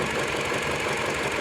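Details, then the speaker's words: Mini Cooper at idle with pending misfire codes for cylinders 2 and 4, cylinder 4 missing badly and engine vibrating heavily: uneven lumpy pulse with recurring dropped beat; ignition coil being checked by scope. "So let me check if it is from the ignition coil or if it is from the engine itself or something. So let me do that check. So you can see how badly the engine is vibrating."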